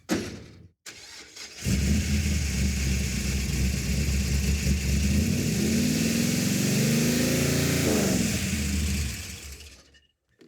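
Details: Roadkill car after replacing two failed ignition boxes with a third (vacuum advance, revved to about 4,000 rpm): engine fires, then revs cleanly up and down with a smooth, even note, no stumble or miss; running healthy.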